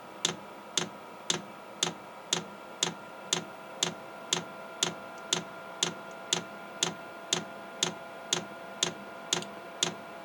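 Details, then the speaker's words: Chinese 8 kW diesel heater during first startup on 11.2 V, fuel dosing pump priming and pulling up fuel: crisp single clicks evenly spaced at two per second in a quiet room, pump getting power and working normally. "okay i hear it clicking now this may take a minute a long minute to pull that fuel up but hey we know it's getting power we know it's working"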